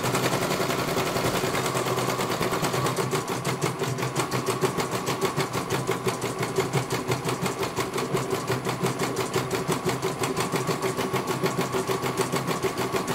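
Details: CNY computer embroidery machine in for service from Banjarnegara, Central Java, that arrived with its motor (dinamo) not turning and the bobbin case missing; steady, rapid needle clatter over smooth motor, one colour completed very well. Normal embroidery stitching.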